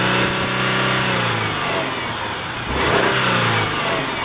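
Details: Engine revving and settling with rough, uneven knocking and popping, usually loudest warm above 2000 rpm under light load, vibration rising with it; plugs, wires, coil pack, timing belt already replaced; cause undiagnosed, owner hopes not rod knock.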